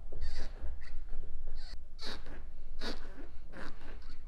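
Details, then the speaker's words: Old white car just bought for restoration, with interior noises to fix: short rubbery squeaks repeating about every second over a low rumble. A rubber trim or bushing squeak, with the exact source not yet found. "고무 찍찍하는 소리들, 그리고 이것저것들 리스트를 한번 만들어 봤습니다."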